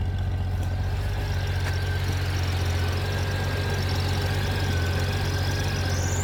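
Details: 1997 Honda GL1500 SE, 56K miles, idling with wind-like whoosh when clutch fully released, turning to high-pitch whine at slight clutch pull and gone at 4%; low clutch fluid; cause was a junk-filled slave cylinder, cleaned and bled.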